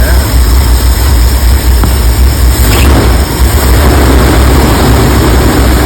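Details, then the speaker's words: 1984 Ford E350 RV, long unstarted and now fed fresh fuel from its tanks after varnished fuel was drained: deep, lumpy, wavering rough idle with shaking. Owner suspects remaining bad gas plus many vacuum leaks; good oil pressure, charging. "there guys shaking pretty bad [Music] Jesus man I think there's still bad gas in there she's not idleing pretty R idle"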